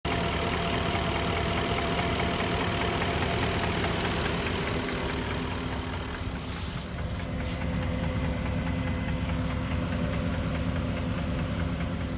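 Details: '04 Porsche Cayenne S 4.5L V8, a high-mileage car, with a used swapped engine: a hollow knock repeats steadily at idle, about twice a second above the engine's drone. It is piston slap, later fixed with a rebuilt Nikasil engine with JE pistons.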